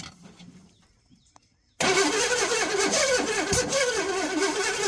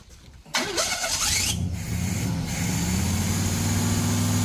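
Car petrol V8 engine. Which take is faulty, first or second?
first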